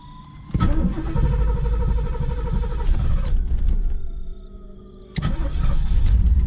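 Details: 1987 TPI 350 tuned port injection, cold: starter cranks, engine catches briefly and sags, then fires again, reluctant to start and hold cold idle; also hesitation on throttle. Only code is MAF, set when unplugged while running; cause unconfirmed.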